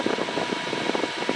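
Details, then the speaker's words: New Endless Breeze fan on highest setting: steady whir, thin whine and fast pulsing rattle as it vibrates and walks across the surface; unbalanced fan blade. "it's uh starting to walk off the uh countertop or the bed frame top I'm going to turn it off before it falls over so there you can see my problem apparently the fan blade is not in Balance"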